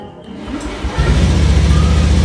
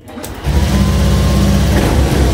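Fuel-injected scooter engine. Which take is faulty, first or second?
first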